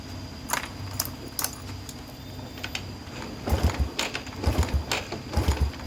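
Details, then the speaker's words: Yamaha Vega R four-stroke motorcycle that stalls and won't start, kicked over repeatedly: turns very lightly with no compression and no firing; mechanic suspects leaking valves or worn piston rings, not yet confirmed. "Ini tadi sudah saya ingkol-ingkol, itu ringan banget, tidak ada tekanan kompresi di bagian ruang bakarnya Kang Bro."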